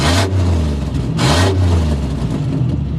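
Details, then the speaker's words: Old Chevy Impala being revved: loud, deep raspy roar swelling with each throttle blip, far too much boom for a stock system; the exhaust was damaged in an earlier accident. "I mean, his trailer park ass sounding exhaust system also came from another accident that I got into this thing of mine in which I promise to talk about later."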